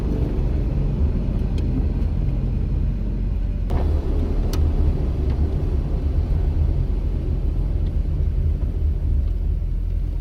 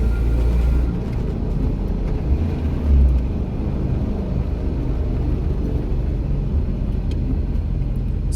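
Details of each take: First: VW Rabbit, chassis at 270,000 miles, on a rainy test drive after a wheel bearing/spindle replacement, wipers off and coasting off throttle. Only a steady low road rumble, with no plane-like droning roar; the bearings sound healthy. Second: VW Rabbit, chassis 270,000 miles: deep, steady, plane-like droning roar while rolling, heard as engine slows, from a worn wheel bearing, to be replaced.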